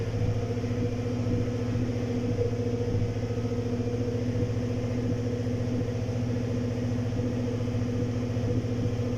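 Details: 2018 GMC Sierra V8 at idle: low steady rumble with intermittent uneven stumbles, misfire changing between cylinders; no engine codes, fuel pump suspected and to be replaced, injectors next to check.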